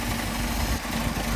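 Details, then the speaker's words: Mercedes 190SL with rebuilt Solex carburetors idling a little over 1,000 rpm, runs rich even with idle mixture screws fully closed; spraying carb cleaner at the throttle shafts makes idle sag nearly to stall; vacuum leak at the throttle shafts. "they're leaking and drawing in extra air, and the extra fuel causes the engine to almost stall."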